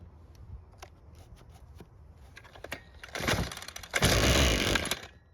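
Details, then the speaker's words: Ryobi two-stroke string trimmer that wouldn't start, after carb disassembly with the idle screw turned out and fuel confirmed flowing via purge bulb: pull-start clacks, a short ragged burst, then it dies within a second; stalls after starting, idle screw setting suspected. "Well, that didn't turn out like we wanted it to. Now because we turned out the idle screw when taking the carb apart, we'll turn it back in some and try it again."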